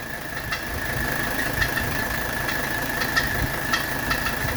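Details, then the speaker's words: 1985 Mercedes 300SD diesel idling during AC recharge: a steady high whine and irregular sharp chattering clicks from the AC compressor, caused by a fresh, not-yet-tightened drive belt; not a fault. "you can hear there's a little chattering coming from the compressor area that's because that's a fresh belt and I need to tighten up the belt a little bit"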